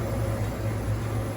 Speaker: so that's the freezer humming that's how loud it is because it needs to keep that super cool temperature inside